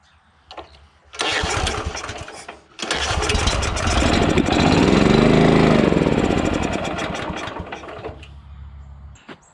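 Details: Honda GX340 petrol engine on an auger with new carburettor, fuel, spark and air: short cranking bursts, catches and surges, then fades and dies; ran okay with governor linkage held back; hard starting and stalling.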